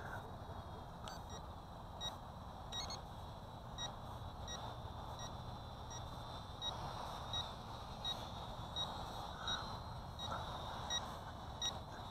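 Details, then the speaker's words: CheerWing CW4 camera quadcopter transmitter in flight: short high electronic beeps about every 0.7 seconds over outdoor wind noise, with the quadcopter's lights blinking; suspected low-battery warning. "I think this gives you a beeping warning that your battery power is getting low and I think I've just entered it"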